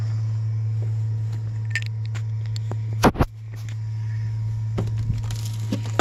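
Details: 2008 Chevrolet Express van: steady low buzz at one pitch with a brief break and some knocks; electrical buzz suspected from the ABS module, unconfirmed.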